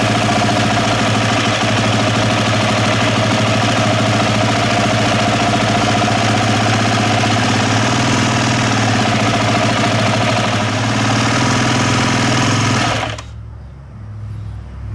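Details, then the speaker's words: KTM fuel-injected dirt bike engine runs with a busy, lumpy beat around three pulses a second that never settles, then cuts out; fuel pump confirmed working, parts said to be new; erratic running, cause not pinned down. "uh but that's being really weird so hmm i don't know i know the pump is working"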